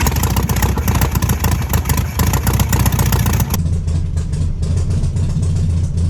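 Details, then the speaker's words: 1968 VW Beetle air-cooled engine, first start after sitting 35 years, ignition statically timed: fires into a loud ragged run for a few seconds, then weakens to an uneven beat and dies; brief run then stall. "Did you give the camera a thumbs up? Yeah, but it died as soon as I did."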